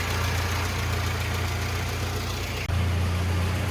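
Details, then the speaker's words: 1985 Mitsubishi Pajero 2555cc petrol after swapping to a Weber 32/36 DGV carburettor, fuel pressure regulated to 3 psi, mixture and idle screws adjusted: steady, even low rumble at idle with no misfires, stumbles or vibrations; healthy engine, rough idle fixed. "And if you listen to this, steady idle, no misfires, no vibrations, just a healthy ass engine."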